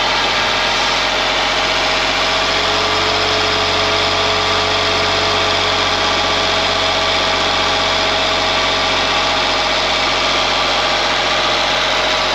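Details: Ford Mondeo ST220, engine neglected in the past, first run after reconnecting breather pipes and vacuum hoses, partly reassembled; even steady idle, smooth hum with faint constant tones, no misses, knocks or hunting; normal idle.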